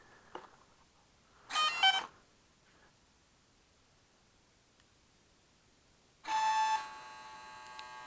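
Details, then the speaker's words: Arduino gyro stabilizer on RC plane driving servos at 250 Hz (leftover ESC code), plane on ground: harsh high buzzing bursts with steady whine, servos chatter, get hot and cut out; fixed by slowing pulse rate and soldering a bad connection. "can you hear that it's got a horrible buzzing noise and I can move them a little bit"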